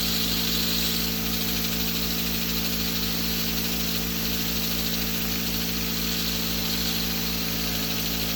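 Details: 10in Tesla turbine spin-up at 1600 rpm: steady hum with heavy hiss and rumble from 1" hex-bore agricultural bearings built for low rpm high load, causing high drag.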